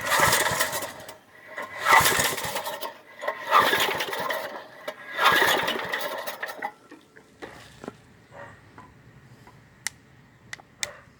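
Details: 1995 Briggs & Stratton 5 hp engine on a go-kart, cold start after about 7 years unused: about six pull-start attempts give brief rasping bursts but the engine never catches. Hard starting after long storage.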